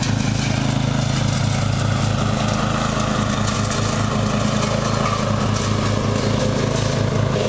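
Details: Murray riding mower, first run of the year after long storage and a mouse nest cleaned out; gas half full and not old, filter unchanged. A steady single-cylinder drone at constant speed with no stumbles or surging; running perfectly.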